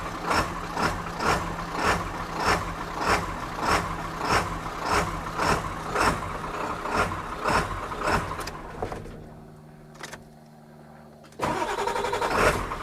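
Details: 1997 Ford F350 7.3 turbo diesel, just started after new starter, batteries and wiring repair: steady pulsing idle with a short dip midway, then picks right back up; normal idle. A fuse keeps blowing, cause not yet found.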